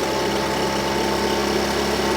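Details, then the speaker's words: Husqvarna 125BV blower that bogged at full throttle, after setting low jet to 1 1/2 turns and raising idle: small two-stroke buzzes at steady, even idle with no stumbling or surging; normal idle. "so uh right now I like where it's at sounds good running good idling good"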